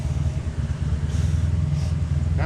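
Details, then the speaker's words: Engine with a big cam, on premium fuel, at idle: a low, lumpy, loping idle with occasional stumbles; idle air-fuel ratio swings from about 13 to 18, far too lean, with misfires. "it's got a big cabinet and it's also getting like a full miss for some reason"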